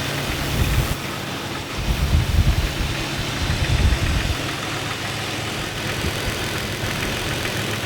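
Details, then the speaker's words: Jeep 4.0L six-cylinder idling: uneven low knock, hard to pinpoint, seemingly mid-block; could be mistaken for piston slap; no double rap on throttle tip-in unlike piston pin noise. Cause not confirmed, probed with multi-channel stethoscope. "the ambient noise is very hard to pinpoint almost impossible to tell where the sound is emanating from it seems like the middle of the engine block this noise could be easily mistaken for a piston slap"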